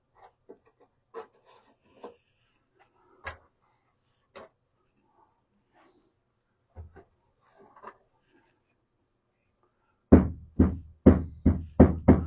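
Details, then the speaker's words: 1976 Mercury Monarch dashboard rattle over bumps: quiet tapping then sharp rattling knocks about twice a second, from loose speaker retaining clips buzzing on metal; fixed with screws and silicone. "These little clips that hold the speaker in place were just rattling on or buzzing on this metal."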